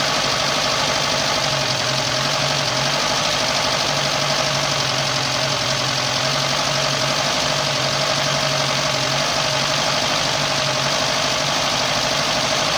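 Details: Lada Niva 21213 engine after replacing a broken timing chain guide that had made the chain rattle: steady, even engine note with constant low hum and no rattle or tapping. Timing chain sounds quiet. Normal running.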